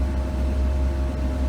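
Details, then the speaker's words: 2005 Chevy Kodiak C4500 ambulance at a steady deep idle with the AC on and cold air blowing straight away: even low hum with no knocks or misses; normal idle with AC running. "oh yeah that's the ticket nice and cold air just blowing out of this thing it's I mean it's pretty impressive how much cold air this thing puts out like right away"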